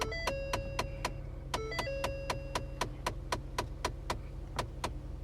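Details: 2011 Ford Taurus heard from behind the dash after starting: sharp steady clicking about four per second over a low engine idle, from a failed A/C blend door actuator, replaced.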